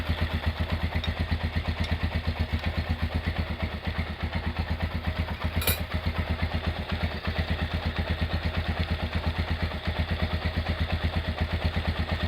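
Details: Honda GL100 single-cylinder engine, year uncertain, possibly 2000–2002, after full rebuild with Aspira piston and rings, CDI ignition, valve clearance 0.10; steady even idle thump with only light valve tick and no knocks, healthy and smooth.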